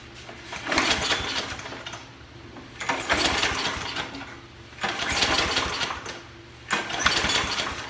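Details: 1995/1996 Toro Super Recycler 20353 with a 6.0 HP Briggs & Stratton OHV engine, just fitted with a new pull cord; four pull-cord cranks, each a brief rasp, and it never fires. Cranks but won't start.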